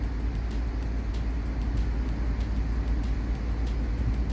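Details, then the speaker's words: Audi S6 5.2 V10 petrol with misfire codes (P0300; cylinders 4, 7, 8) and earlier rough idle from throttle-body vacuum leak due to stripped threads; now idles fairly evenly with steady deep hum, no obvious stumble. "mi się wydaje dzisiaj całkiem ładnie pracuje bo jak ciągną tą lewe powietrze to strasznie im przypału na wolnych obrotach A teraz już w miarę Ładnie równo chodzi"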